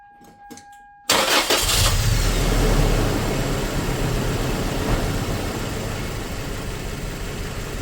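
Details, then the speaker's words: 2004 Toyota Tacoma four-cylinder, 141,000 miles, cylinder 1 dead miss with a known-good coil, test light grounded: cranks, catches and settles into a lumpy, shaking idle. "We definitely still got our shake, and should be."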